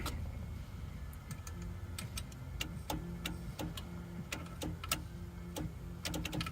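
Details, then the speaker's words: C4 Corvette (1987 Chevy) horn clicks sharply each press but doesn't sound. Power reaches the horns, yet no honk follows. Restorer had just replaced the horn fuse and cleaned the horn button and column contacts; it worked again once snapped on properly. "Now it's not honking at all? Really? Did the horn just go out? I mean, you can hear them out there clicking, so it's getting to the horns."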